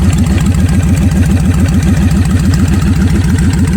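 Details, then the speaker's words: 1988 Kawasaki Vulcan 1500 Classic with Vance & Hines straight pipes, recorded on a phone while riding: deep, loping, even beat about three and a half pulses a second, with clunking noises the rider says are normal for these bikes; healthy. "you hear all kind of noises riding this thing besides the exhaust makes you wonder if something gonna fly off of this but again that's just the way they are"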